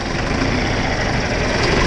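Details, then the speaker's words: John Deere 410 backhoe diesel just after a fuel filter replacement, started with a jump and ether in cold weather: surges and stumbles instead of settling; air still trapped in the fuel line. "You hear that jumping? That's a pretty good indication that we didn't quite get all the fuel out. I mean, all the air out of the fuel line."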